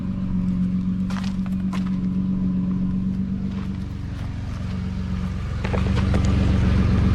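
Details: 2009 Nissan Murano after stick welding rusted, broken exhaust: steady, even low idle rumble, no sharp puffing or rasp, much quieter than before though not fully fixed; normal idle.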